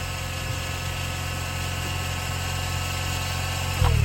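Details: Mazda RX8 rotary revived after 2.5 years sitting, running on a 200-amp charger boost with no belts connected: steady low rotary hum with fast even buzz, no knocks or misses; healthy idle.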